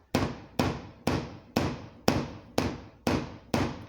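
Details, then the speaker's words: Mazda 626 GF headlight (secondhand unit) rocked by hand: eight sharp hollow knocks, about two a second, as the loose lamp clacks against the bumper; a missing fixing clip is suspected as the cause, fix not yet confirmed. "you can hear it hitting the bumper because it can wobble if i do it here no sounds are coming from there but not here"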